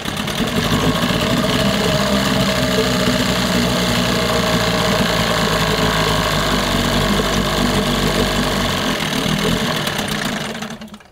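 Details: 1988 Johnson/Evinrude 6 hp short-shaft two-stroke outboard, after water pump/impeller work: a busy buzz holds steady about ten seconds, then sags and dies; it runs then stalls, with fuel starvation suspected from the plastic-top carburetor.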